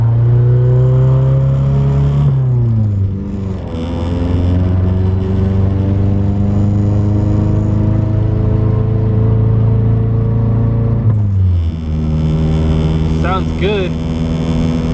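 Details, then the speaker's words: Car on a test drive, checking for a recurring issue. Engine note climbs smoothly through the gears with clean shifts and no stumble; no hesitation, idle around 850 rpm afterward. "we're just giving this car a little test drive everything seems good uh there's no hesitation so far"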